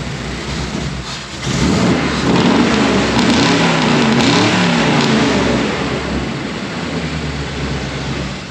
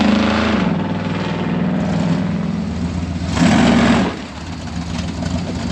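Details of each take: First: Tall-deck V8 truck with all-new exhaust and changed ignition (adjustable-height Unilite distributor), after long-running exhaust leak was fixed; idles then revs with clean, even burble, no ticking or puffing at manifold; normal, sealed exhaust. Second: Lifted off-road recovery rig with new exhaust and new MSD ignition system; uneven V8 pulls away with lumpy, popping rev rise, still popping and sputtering on take-off; timing judged a hair off, better low end than before.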